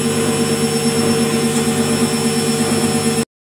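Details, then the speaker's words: Lux Royal WH 1090 front-loading washing machine after replacing drum bearing and motor bearings (6201 front, 6202 rear): drum spins with steady smooth hum and soft even whine, no rumbling or grinding. "Suara mesin cuci yang sudah ganti bearing tidak short. Ok, ada sok tapi sudah mendesing aja ya. Mendesing aja lebih lembut."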